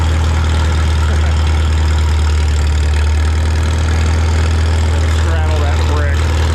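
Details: Farmall Super M tractor being prepared for the Mackinac Bridge crossing, just started with the choke and throttle levers, clutch depressed. A deep, steady low rumble ticking over evenly with no stumbles. It runs fine.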